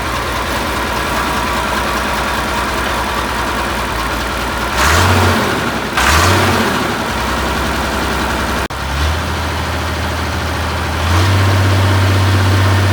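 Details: 1972 Massey Ferguson 1100 94 hp diesel tractor, abandoned and sitting a long time, started with starting fluid: settles into a steady, even low idle with a couple of throttle blips. Now running.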